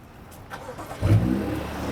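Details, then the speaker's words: BMW F30 with display key remote start retrofit: after shutting the car off via the key fob, the starter catches and the engine fires up with a brief rev, restarting itself repeatedly. "whatever reason when I try to shut it off through the the key thing it just keeps starting"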